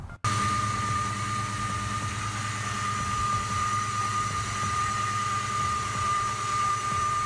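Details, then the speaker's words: 2000 Ford Mustang GT at idle, before repair: a steady high whine at constant pitch over the engine, suspected to be the idler pulley, which was then replaced. "you can see there it's making an awful whining noise someone change the bully out and see if it helps"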